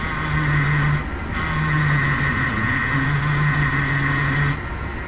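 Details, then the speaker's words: Vintage RV with Chevy Hydroboost after fabricating a replacement power steering hard line that had leaked: low groan and whine rising as brake is pressed, engine running; air in the Hydroboost system, needs bleeding. "there's air in the system i need to bleed out which is fine i'll bleed it out but i just want to let you know that's what's going on there"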